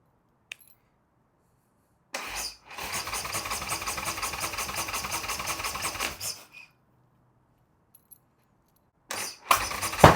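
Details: Harley-Davidson Sportster build, first start attempt (third try) after installing oil bag and cleaning carburetor, ignition wiring fixed to give constant spark; starter spins about four seconds with steady chugging, never fires, then another short crank: cranks but won't start, cause unconfirmed.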